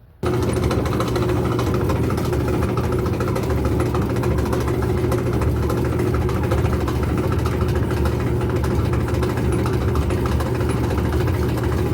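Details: Whirlpool/Kenmore gas clothes dryer, igniter lighting normally, noisy only while drum spins: steady, heavy low rumble and hum from a worn drum support roller bearing.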